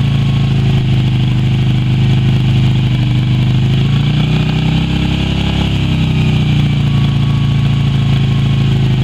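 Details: Even, low twin-cylinder thrum with a brief gentle rise midway, no knocks or misses, from a Yamaha Virago XV250 revived after six years in storage with fresh fuel and power; a healthy, steady idle.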